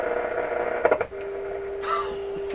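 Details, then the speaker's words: Electrohome tube radio under repair, signal generator fed into the set: after clicks a clean steady mid-pitched tone holds, showing the IF stage passes signal properly. "that's the if coming through six Thumbs Up Add in the other two that's 10 thumbs up"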